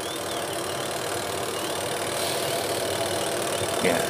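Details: AQUA QW-781 XT twin-tub washing machine spin motor after replacing the leaking spin seal, whose rusted bushing had dried and squeaked, and the rat-bitten drain hose: steady even whir, no knocking, scraping or wobble; normal spin.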